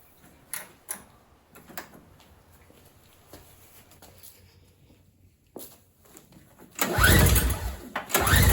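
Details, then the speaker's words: MTD 4.5 single-stage 21-inch two-stroke snowblower (50:1 oil-gas mix), sat for about two years: primer makes no fuel sound, slow pulls and a churning crank but it never fires; gummed carburetor not delivering fuel, no start. "so right off the bat this does not have the correct sound i can't hear any gas going into the carburetor when i push the primer so that's a bad i guess a bad sign for starting"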